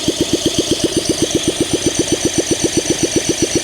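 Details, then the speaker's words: 1971 Honda SL125 single, long-sitting, freed seized engine, starting fluid used: steady even cranking about four compression strokes a second but never catches; owner suspects low compression and dying battery. "Come on. We could just be low compression. And my battery's dying, and so we don't have enough juice to get the compression up."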